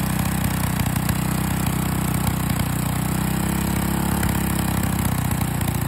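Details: Small single-cylinder engine with liquid gallium poured into the carburetor while running, having taken about 10 grams so far. It chugs along at a steady, even idle with no misses, still running for now.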